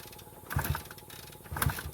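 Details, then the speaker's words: Previously seized, long-sitting Honda Benley "Baby Dream" kickstarted in neutral for a compression check: two slow strokes with firm chuffs show good compression on this cylinder, while the other cylinder has much less. "So that one's got good compression. Not surprisingly, a lot less over here."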